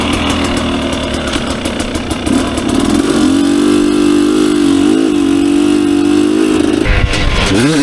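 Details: 2019 KTM 250SX two-stroke, Lectron Billetron 38 Pro carb, on track after torque jet richened half a turn: steady ringing revs, zero pinging or detonation, but a bit burbly in places; slightly rich, so owner turns it back in a quarter turn.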